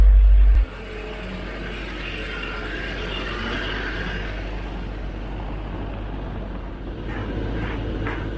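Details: Freshly rebuilt 454 Big Block Vortec Chevrolet V8 in a custom pizza truck, after its first start, now outdoors: low, steady big-block rumble at idle with an even beat and no knocks or misses; oil pressure about 50 psi, healthy.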